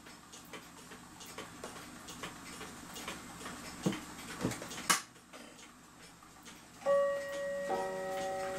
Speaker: So I couldn't believe how well this thing ran when I had the springs in, let's say, backwards. Seems to be ticking good now.